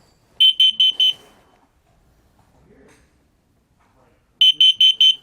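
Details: RV propane and carbon monoxide detector self-test button pressed: two bursts of four quick, loud, high-pitched chirps about four seconds apart, with a flashing red light. The self-test works properly.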